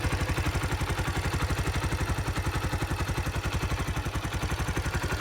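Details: 2005 Kawasaki Eliminator 125 after replacing the leaking petcock, fuel set to prime: steady single-cylinder putter about four beats a second, no misses or stumbles; normal clean idle, no leaks.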